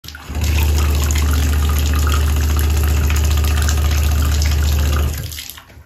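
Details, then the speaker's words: Aquasource/Glacier Bay tub/shower valve: water runs with a loud, deep droning water hammer shaking the pipes and building, caused by a failed pressure-balancing cartridge; replacing the cartridge fixed it. "something in this pressure balancing cartridge failed and we'll take this home and pull it apart see if we can find any anomalies in there that we're making this thing go crazy on the water hammer"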